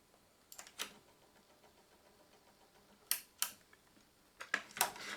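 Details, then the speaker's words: Sony LBT-D107 cassette deck: sharp dry irregular paired ticks from the tape transport, with or without a cassette, in either well, silent in pause; owner suspects the mechanical tape-pressure auto-stop, hardened gears, or the take-up drive. "возможно он так стучит возможно тут были мягкие шестерёнки когда-то которые со временем стали жёстче и появился стук"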